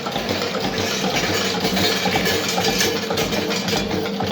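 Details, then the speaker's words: Old Witte single-cylinder diesel engine restarted after breakdown, after injection timing adjusted; slow even low thumping at very low idle around 200-250 rpm, no stumbles or knocks, running smoothly. "that is the nicest that things ever run [Music] [Music] that's beautiful"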